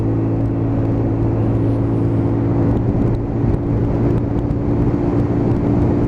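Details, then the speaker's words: Lexmoto Titan at 4,166 miles after fuel-system repair for holding back on acceleration: steady pull to 50–55 mph with even engine note under road and wind noise, no surging or hesitation; fuel delivery now healthy. "we'll take it up to 50 mile an hour and that's not holding back at all oh there we go and we're at 55 nice and steady"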